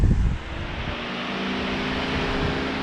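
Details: Radiator fan on a homemade engine run stand for a barn-find 327, wired straight to the battery: steady, even whoosh of air with no ticking or rubbing; normal electric radiator fan.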